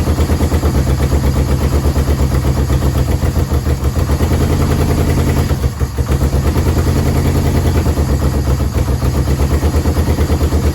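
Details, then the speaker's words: Yamaha VMAX 1200 that sat about 5 years, cold on choke with a jerry-rigged fuel pump and no smoke: a quick, steady idle with an even low thrum. It dies when the choke is off. Owner suspects clogged carb jets and has ordered a rebuild kit. "As soon as I put the choke off, he dies. So let's try it one more time. Let it warm up a little bit. But I know the freaking jets are clogged up."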